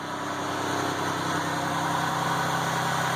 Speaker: Look at that, right up, no spits, sputters, no squeaky belt.